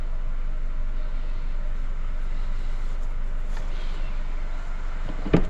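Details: Mercedes A220 after rebuild for engine knock (new piston, rod, rings, matched main bearings), engine reinstalled and running: steady even low drone, no knocking or tapping. Normal running.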